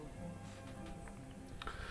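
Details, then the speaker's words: Sharp 8-track player after belt repair, volume turned fully up: music plays faint and thin; head alignment was suspected. "what the sound isn't very loud so that could be the general a track head alignment problem"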